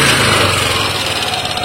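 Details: Yamaha Aerox scooter engine at low revs before the VVA engages, fast light metallic ticking from the front of the engine that goes smooth once VVA activates and at high rpm; block set is new; worn rocker arm.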